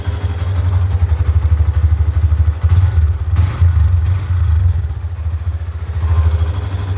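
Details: Hero Xtreme 125R motorcycle at 619 km: low, throbbing idle with an uneven light clatter riding on it about three times a second, like "khit khit"; unexplained ticking engine noise.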